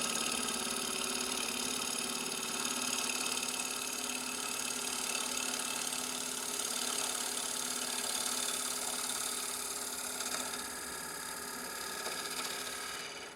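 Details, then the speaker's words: Wood lathe turning a hollow sphere with roughing gouge, bevel rubbing, piece not yet balanced and vibrating; even high-pitched slicing hiss over steady spindle hum, no catches or chatter; normal bevel-rubbing gouge cut. "Rubbing the bevel with my roughing gouge, making nice slices."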